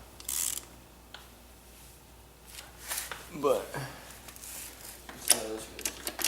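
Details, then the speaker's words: 2007 Suzuki RM85 during clutch teardown, first gear turned slowly by hand: scattered dry clicks and a notchy ratcheting grind, indicating a fault in the first gear set. "That's first gear, guys. That is first gear. It does not sound good at all, does it?"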